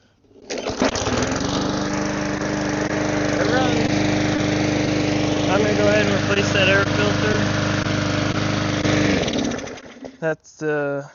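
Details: Neglected, long-sat small single-cylinder lawnmower engine, primed after repair, starts and holds a steady even putter about eight seconds then shuts off; runs smoothly, air filter due.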